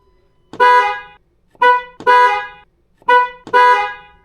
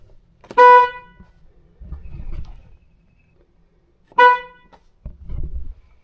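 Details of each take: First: Ford Bronco after replacing failed stock low-note horn (had sounded high, Prius-like): five sharp blasts giving a clear full two-note chord each time. Normal dual-tone horn. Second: Ford Bronco, which has two stock horns, high note and low note: two short honks with only a thin high tone and no deep note, because the low-note horn has failed; fixed by replacing it with a stock low-note horn.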